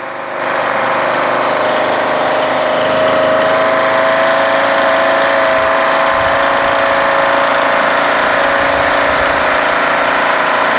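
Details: Craftsman LTS1500 lawn tractor with rebuilt 17.5 HP Briggs OHV single-cylinder made from two blown engines, now with full oil, pushrods and valve lash corrected, PTO and mower deck engaged: steady, even running under deck load, no knocks or vibration; healthy.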